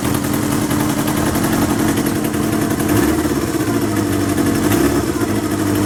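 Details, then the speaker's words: 1977 Kawasaki KZ650/Z650 B1 four-cylinder, air screws 2¼ turns out (manual says 1½), second-hand starter fitted; idling with a lumpy, uneven beat and occasional stumbles; carbs still need syncing. "still need to be synced"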